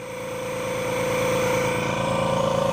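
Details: Bella microdermabrasion machine with good vacuum and airflow, crystal pickup tested on thumb: steady pump hum, fast even pulsing and clean airflow hiss, no straining or rattles; running healthy, abrading properly.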